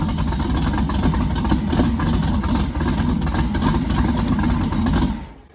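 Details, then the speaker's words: 1969 Camaro twin-turbo pro mod, first start since an incident: a lumpy, loping idle for about five seconds, then the engine dies abruptly. It ran out of gas; fuel starvation stall. "okay so it sounds like let me tell you why it's out of gas"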